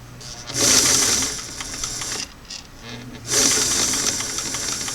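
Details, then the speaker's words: Singer sewing machine on restored clam-shell foot pedal, reassembled with screw fully in after adjustment: motor jumps from quiet straight to high-speed whir twice, touchy, slow to fast with no medium; pedal speed control still too abrupt, needs readjusting. "there's my slow a little touchy trying to go from slow into medium seems to want to go from slow to fast mostly"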